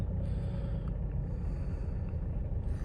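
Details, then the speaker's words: Mercedes W204 diesel with well over 200,000 miles, in limp mode with a suspected faulty DPF pressure sensor, idling warm while live data is read: low, steady diesel rumble with an even beat and no knocks, a smooth healthy idle. "the values, you can see that the engine is idling quite nicely."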